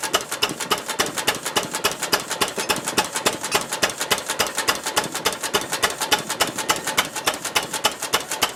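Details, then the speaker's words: 1926 Ruston Hornsby single-cylinder engine, first start in 5 or 6 years, mixture adjusted from too rich; slow even thumping about three and a half beats a second, no stumbles; normal running. "Good, considering it has been running for 5 or 6 years. 5 or 6 years? Yeah. That's first start in 5 or 6 years, right?"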